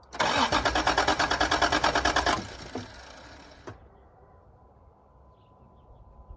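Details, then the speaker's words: 1986 Toyota Supra after sitting: starter cranks about three beats per second for two seconds, engine never catches; fuel pump can't be heard running, owner suspects no gas in it. "She sounds like she wants to run. There's probably no gas in it. Can't hear the pump run."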